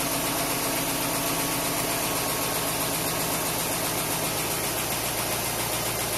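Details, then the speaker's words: Willys truck first start after a 12-month rebuild, cold workshop at about 14°C: steady even idle with a smooth low rumble, quieting as it warms, running on all cylinders with no stuck injectors, no knocks or misses; healthy. "[Music] yeah real quick last time took a good 20 minutes for the idle C now now it's getting quieter sounds like it's running on all cylinders"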